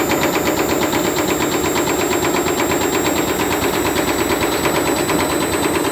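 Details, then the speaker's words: Candy Grand'O Vita GVC D91 CBB tumble dryer fitted with a universal washing machine motor, belt tracking to the right but staying on: loud motor roar with quick even slapping about three times a second as the belt flaps at high drum speed. "it seems to be flapping around a bit"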